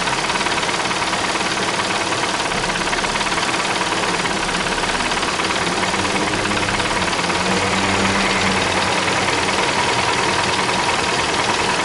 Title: منين هذه أصوات التكتكة او الطقطقة فى محرك السيارة - Bruit moteur de la voiture - مركبة